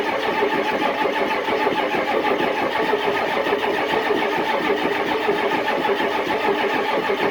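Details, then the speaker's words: Cold start on a below-zero December day after charging the battery about 10 minutes; long laboured cranking with a churning drone, no clean catch; owner says it was hard to get going and ether should have been used; hard cold starting. "that was a real [ __ ] to get going i should have just [ __ ] hit her with a sniffy ether in the first place"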